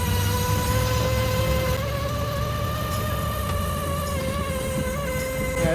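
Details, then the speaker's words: 1959 Ford Thunderbird driving: steady high speedometer cable whine over low engine and road rumble, rising and falling slightly with road speed. "Yeah, that noise is the speedometer cable whining like a mother."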